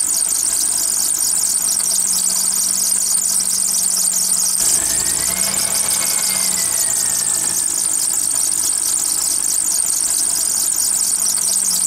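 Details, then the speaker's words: Car running with a wet serpentine belt, before cornstarch is applied: a loud, steady, high-pitched squeal over the engine, rising briefly mid-clip. Water dries out the belt and makes it squeal as it slips on the pulleys. "Como ven ya tenemos el carro prendido, aquí esta la banda, la banda cuando le entra agua empieza hacer ese rechinido. Se reseca."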